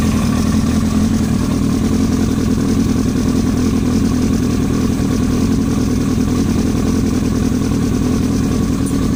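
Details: Yamaha R1 at idle: dense, fast, steady engine beat with a hard knocking edge running through it, cause not yet known; engine knock.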